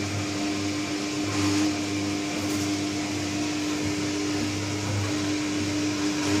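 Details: New Candy Trio 9501/1X running loud: a constant mid-pitched hum holds steady over the running noise with droning resonance. Cause unknown.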